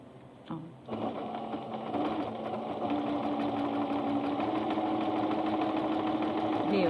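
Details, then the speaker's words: Singer Starlet 6680 sewing machine after cleaning, sewing a single layer: even, quick stitching about three stitches a second, with no scraping or knocking. Sews smoothly and quietly. "Agora Numa camada só a autonomia e a página estão assim máquina limpa e sem barulho"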